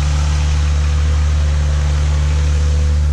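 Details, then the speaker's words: 2005 Ford Mustang V6 after serpentine belt replacement: smooth, even idle with a steady low hum. The earlier squeal from the belt is gone, with no chirp, so the engine runs clean. "I check the belt everything look great started it up and no more squeal so there you go guys 20 bucks and it was developed"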